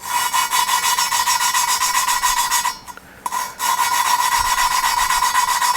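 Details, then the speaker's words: Lapping 2JZ-GE VVTi cylinder head valves by hand with Permatex compound (120 grinding down to 220): a steady gritty back-and-forth rasp, three or four strokes a second, as fresh coarse compound cuts the seat; the tone changes as the grit wears. "and then you can actually hear the grit uh change tone and you can feel it and I just go until I don't have much grit left in that paste"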